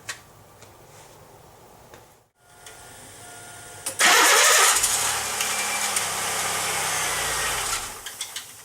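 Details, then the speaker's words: 1995 Pontiac Grand Am 3.1L V6, first crank on a new replacement starter fitted with no shim: harsh metallic grinding and whirring over the engine catching. The starter pinion is clashing with the flywheel from too little clearance and needs shimming. "I don't like the sound of that. That do not sound good. Well, that is not what I wanted to hear. That sounds horrible. So it sounds like, you know, we probably have not enough distance between the teeth and the starter and the teeth and the flywheel."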